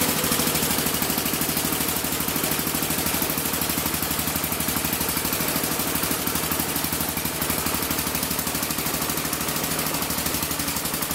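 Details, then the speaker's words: 1975 or 1976 Massey Ferguson 14 garden tractor, Kohler K321 single-cylinder, carb at stock settings: uneven thumping about three beats a second, running rough and won't take throttle; cause unconfirmed. "and it was yeah mmm as you can see I'm pretty sure it's not running right it won't take throttle so I got to figure out what exactly is going on"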